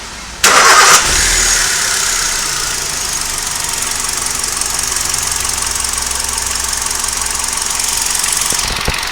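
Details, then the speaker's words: Hyundai i20 1.2 L naturally aspirated petrol engine, 14 years old, 1.5 lakh on the odometer, water-cup vibration test; once warmed up, it catches quickly into a smooth, even idle with a steady hiss, less vibration than cold; normal warm idle. "ನೋಡಿ, first ಇದ್ದಷ್ಟು moment ಇಲ್ಲ. ಇವಾಗ water moment ಇದೆಯಲ್ಲ, first ಇದ್ದಷ್ಟು ಇಲ್ಲ. ಯಾಕೆಂದರೆ heat ಆದಾಗ vibration ಕಡಿಮೆ ಆಗುತ್ತೆ."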